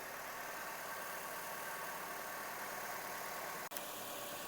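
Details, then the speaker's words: 2010 Hyundai Getz 1.6 automatic after replacing ignition coil and leads; quiet, even idle with smooth steady hum and no stumble or misfire beat; engine idling cleanly. "yep sounds good okay sounds good"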